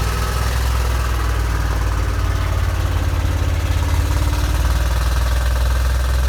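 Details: 1987 Corvette engine catches after flooded cylinders blown out and plugs refitted, loping lumpy low idle; dies when throttle released and floods again, fuel getting into oil; owner suspects heavy flooding seeping past piston rings.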